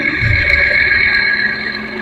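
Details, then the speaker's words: Ceiling fan running after a capacitor was fitted: a steady high-pitched whine holds level over a soft low hum, the noise of worn bearings, which are to be replaced. "तो मैंने capacitor लगाया और इसकी जो sound है इसकी आवाज है वह आपको सुनता हूं बेयरिंग की आवाज"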